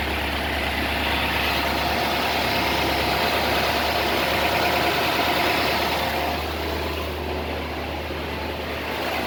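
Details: 1955 Ford Thunderbird V8, original 6-volt system, warm day 30°C, after cleaning rusted exhaust-heated bimetal automatic choke housing causing hard starting; even steady idle around four beats per second under hissy exhaust, still on raised idle: normal idle.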